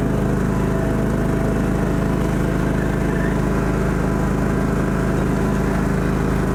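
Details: John Deere GT225 lawn tractor's small petrol engine runs a steady, even low drone with a regular beat, no misfires or knocks, on test drive after not-running fix; starts easily every time, runs and drives nicely; normal running.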